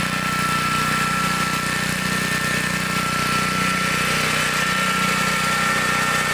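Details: 1960s Bolens Lawn Keeper 28-inch riding mower, deck raised: steady, even engine drone holding speed while cutting grass, no stumbles or knocks; running healthy under load.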